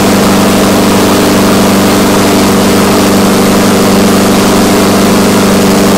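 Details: Exmark Commercial 21-inch push mower, first start after cleaning the carburetor and refitting the fuel line: loud small engine at constant speed with a slightly uneven beat, starving for fuel; owner doesn't think it's a governor issue.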